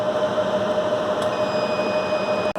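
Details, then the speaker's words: Cinema projection server for screen 5 with two redundant power supplies: with the battery backup switched off, a steady high squealing alarm sounds over fan hiss and a red light shows on one power supply, signalling lost input. "when we come back up here first off we hear that squealing and you see that red light light up right there on one of the power supplies"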